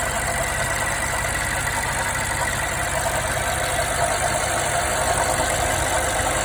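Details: 2016 BMW 550i V8, 58,000 miles, drives perfect, no codes, just bought: steady idle with faint irregular knock about three beats a second underneath; cause unknown.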